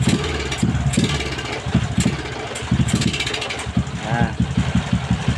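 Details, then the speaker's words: Motorcycle with newly installed N-Pro carburetor, untuned: engine surges and dips unevenly, bogging and stumbling on acceleration instead of picking up. "นี่นะครับก็เมื่อกี้ก็เพื่อนๆได้ดูแล้วนะครับว่าอาการมันเร่งนะครับไม่ได้นะครับเร่งก็วอดวูบนะครับ"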